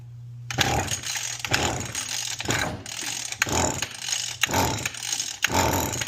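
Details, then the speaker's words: Mantis tiller/cultivator unused for a couple of years: recoil pulls about one per second with a faint pop, never catching; probably a fuel problem. "It'll start, it sounds fine, and then it just kind of sputters out."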